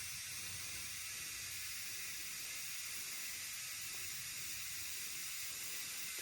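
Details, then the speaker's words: Caravan tire being inflated with compressor, engine off: steady soft hiss of air escaping from several spots; tire leaking everywhere and won't hold air. "Yeah. Also, oh, this is leaking from everywhere. Okay, that one's probably not going to uh do it for us."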